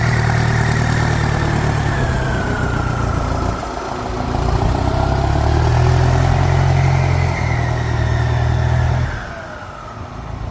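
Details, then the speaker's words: Ford 5000 (68) turbo diesel tractor blipped up and down at light revs. Clean pulls and a steady return with no knocking or stumble, and the turbo whine is praised. Normal running. "อื้อหือเสียงดียังไงลองมาดูมาขับกันได้นะครับสำหรับ68เทอร์โบหอนดีจังเลยเสียงคางดีจังเลยอ่ะ"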